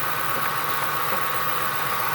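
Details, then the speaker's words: 2003 Ford F-150 4.6L V8, after drive belt squeal fix, idling: smooth steady idle with light even whir and no squeal; squeal previously occurred at 1,500–2,000 RPM. "I do not hear any squeal whatsoever yet so uh where I was getting this squeal at was about anywhere from 1,500 to 2,000 RPM"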